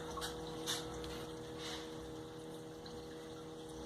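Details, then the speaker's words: Electric fuel pump, switched on via its relay, feeding a Holley 7508-1 2bbl economizer carburetor on a Ford, checked for leaks: faint steady low hum, no surging or cutting out; normal fuel pump running, no leaks. "Ok, ese zumbido que se escucha al fondo es de la bomba."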